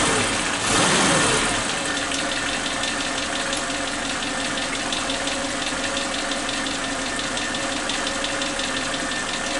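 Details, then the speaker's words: Suzuki Katana with unstable idle rpm, after replacing old spark plug wires with new ones: even, steady idle with light regular ticking, no rpm dips and no exhaust popping; normal idle, plug wires confirmed as the cause. "teman-teman, RPM-nya sangat stabil ya, tidak ada turun-turunnya sedikit, tidak ada jeda-jeda turunnya seperti yang sebelumnya. Sangat stabil."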